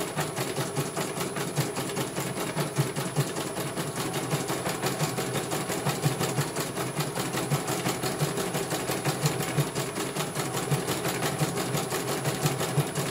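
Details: CNY computer embroidery machine from Banjarnegara, Central Java, test-stitching after service (dynamo motor earlier wouldn't spin at all): quick, even needle ticking with smooth steady hum, no grinding or knocking; one colour finished, result very good, normal stitching.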